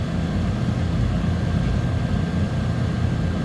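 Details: 2011 GMC Sierra, 112,000 km, idling after repair for backup lights staying on and no-crank: steady even low rumble with no knocks, ticks or misses; normal idle.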